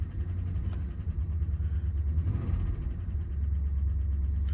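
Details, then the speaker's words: Rolls-Royce just after a cold start, on fast choke revs: a deep, uneven, lumpy rumble; it dislikes cold starts but goes quiet after a moment; rough cold idle. "Obviously, it needs to warm up. Once it's built up brake pressure, there's one. They should go off any second, especially with the high revs on choke. Oh, she's a bit lumpy."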